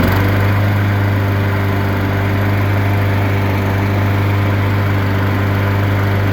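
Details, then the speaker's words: Honda GCV160 engine on a Husqvarna mower after a carburetor cleaning, running with the bag on; oil level fine and no leaks. Smooth, even single-cylinder running at steady speed with no misses or surging, and almost invisible smoke: it runs normally. "Let it run with the bag and we're running more for a bit more. It should be okay to say that this thing runs."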